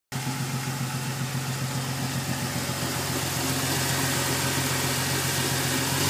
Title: Jeep cherokee strange engine knock